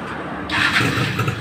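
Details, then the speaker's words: Yamaha Fiz R two-stroke motorcycle after fitting an RX King CDI; the old CDI had failed, so it started by kickstarter but not electric starter (low current). Quick starter whirr, catches on one press, steady even idle; problem fixed. "Wes, sekali pencet oke. Oke sobat bengkel, masalah sudah teratasi ya."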